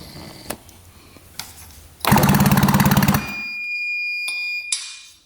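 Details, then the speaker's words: 1966 Yamaha YL1, not run in 15 years: the electric starter cranks with quick, regular chatter but there is no firing. No spark at either plug. "See if we get anything for spark. I really can't believe that electric start works. That makes me really happy. All right, let's see what we get. Nothing. Nothing at all."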